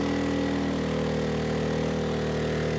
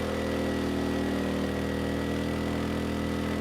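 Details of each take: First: Erayak 4500PD dual-fuel inverter generator on propane, load raised to about 3,300–3,400 W: the drone's pitch sags lower as the engine slows and runs out of horsepower, so it is overloaded; propane gives about 10% less power than gasoline. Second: Erayak 4500PD dual-fuel inverter generator running on propane with a 3,000 W load: a steady, even drone with a firm low hum, no hunting, misses or knocks; the engine sounds good and carries the heavy load cleanly.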